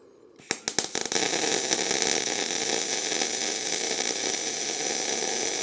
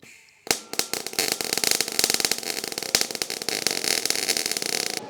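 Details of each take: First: MIG welding exhaust pipe with the welder turned up from 18 to 19: a few sputtering starts, then a smooth, even frying hiss for about six seconds, a well-set, steady arc. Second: MIG welding exhaust pipe, possibly with flux-core wire: with voltage set too low the arc pops and sputters in irregular sharp bursts instead of a steady crackle, leaving a weld like a bunch of BBs; the fix is turning the voltage up.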